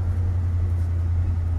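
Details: 1972 Barth motorhome with old petrol engine, earlier stalling because it was out of fuel despite the gauge reading full: steady even low rumble with no misses or surging once refuelled; normal running.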